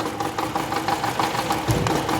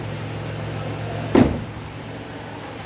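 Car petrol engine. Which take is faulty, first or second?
first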